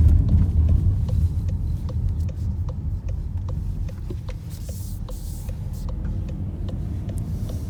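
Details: 2018 Volkswagen Tiguan (68 plate) while driving: faint, quick cricket-like squeaking chirps, about three a second, from the dashboard over heavy road rumble.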